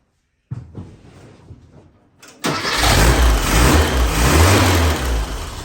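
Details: 1967 VW Beetle after an engine swap, static timed, with fuel now supplied and off the jack stands: the starter cranks briefly, then the engine catches and settles into a steady, even idle with no knocks or misses.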